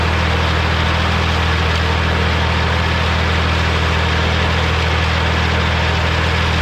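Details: Morra F25-6 disc mower on tractor, test run after repair: steady low drone with smooth rhythmic disc hum, no knocking or metal contact; normal, occasional slight touching possibly the shield.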